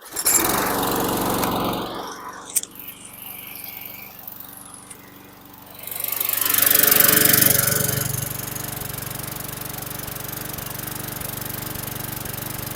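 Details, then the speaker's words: 2011 Troy-Bilt 21" self-propelled mower, 725EX engine, after carb cleaning and new bowl gasket: pull-started easily, steady putter with slight unevenness and occasional miss; owner suspects carbon on the valves. "so it's started relatively easy and it sounds good there's a little bit of uh rough idle but it's nothing that I'm going to be worried about little bit of a Miss could be some Carbon on the valves"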